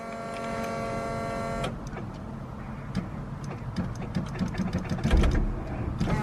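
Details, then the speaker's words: Honda wagon on E85 with an OBD1 conversion, unused for about two months, during its weekly start. A faint thin whine for about 1.5 seconds, then slow uneven clicking; the fuel pump sounds weak. "Warm it up at least once a week because of the E85. And I'm gonna do that right now. Sounds like a weak pump."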